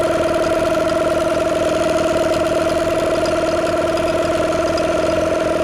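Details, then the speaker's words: Old two-stroke outboard running after a first-pull start from long storage: an even, fast buzzing idle with a steady tone and no misses. Smooth, normal running. "That is absolutely ridiculous. First pull. Oh my God. And listen to it, it's idling like a sewing machine. That is freaking nuts."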